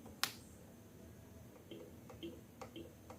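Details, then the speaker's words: Horn on a fuel-injected motorcycle with a weak (soak) battery gives only a few faint dry ticks and no horn note; the battery is too weak to drive the horn, run the fuel pump or start the bike. "hanya tik tik tapi tidak berfungsi seutuhnya untuk klaksonnya"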